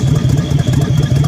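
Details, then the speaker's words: 1970 Chevelle SS 396, 350 hp, Turbo 400, original number-matched engine, 39,000 miles, at idle: lumpy V8 beat with a sharp puffing chuff each pulse; exhaust leak. "The engine bay is unrestored. You can hear an exhaust leak, of course."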